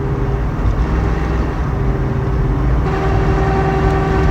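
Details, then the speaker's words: 1969 Mustang 428 with C6 and 9-inch nodular limited-slip rear, 3.50 gears, 1,200 miles after restoration; whine appeared in the last 100 miles, owner suspects the third member; steady drone, no whine, sounds clean. "Sounds clean."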